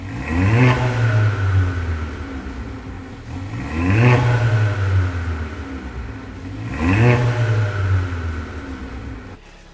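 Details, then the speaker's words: Mercedes A45 AMG W176 M133 engine, first start a week after full rebuild, with downpipe and induction kit fitted and cooling system bled: sharp rev blips about every three seconds dropping cleanly to idle; crisp and healthy. "now that sounds crisp and of course we first going to go for a test drive just to make sure that everything is fine"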